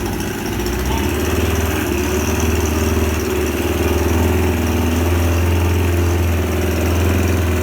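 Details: Suzuki 25 HP outboard after repair, run in a test tank: steady even drone with constant low hum, no misses or knocking; normal running.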